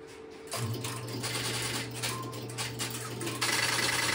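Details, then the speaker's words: Stromberg Carlson X-Y telephone switching equipment in an idle central office, with a call placed into it: a steady low hum with a rapid chattering tick of a few hundred beats a minute as the interrupter starts and runs normally. "Hey, I've relocated the camera to the Stromberg Carlson XY equipment and I will place a call into it and you will Hear the interruptor start and run."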